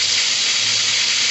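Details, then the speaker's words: 2004 Chrysler Pacifica 3.5L V6, 120,000 miles, misfire on cylinder 6: loud steady high-pitched hiss over faint engine hum as air is sucked in past the loose intake manifold runner control shaft at cylinder 6, before O-ring fix. "when we got this thing apart we found out that the intake manifold Runner shaft becomes loose and starts to suck air in through here which is number six cylinders right here"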